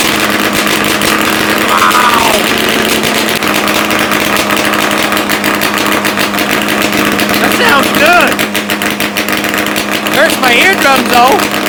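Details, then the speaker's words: Ski-Doo Formula III triple two-stroke snowmobile after carb cleaning and adjustment, muffler off, first start in weeks: loud, raw, steady drone with even beat, no miss or knock; normal running. "one more time just one more time then i'll put the muffler back on and uh i it's just i can't help myself that's just the coolest sound in the world"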